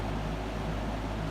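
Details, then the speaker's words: 1970s McGraw Edison 20-inch Penncrest reversible metal box fan, sold by JC Penney, mint condition, on high from the intake side: even, soft rush of air over a low steady hum, no rattle or wobble; strong airflow, runs quietly and normally. "we're going to start on the intake side with high and it puts out quite a bit of air but it's relatively quiet"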